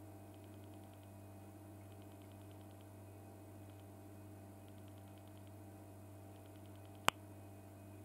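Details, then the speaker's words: 1985 BT Mickey Mouse push-button telephone that dials by pulse, not touch-tone: faint line hum with bursts of sharp clicks about ten per second in groups as pulses continue in the receiver after dialing; normal pulse dialing, slow to connect. "after I finished dialing out you will continue to hear the pulses in the receiver so you know it gives you an idea of how long it took to dial out with a pulse press button phone"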